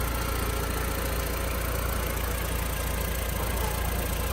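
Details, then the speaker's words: Audi TT 1.8 turbo stored 8 years in a barn, after a rebuilt fuel system: low, smooth, even, very quiet idle with no ticking, knocking or misses; engine running healthy. "Wow, she's running like a Swiss clock. I mean, she is just humming right along. Quiet. In fact, super quiet."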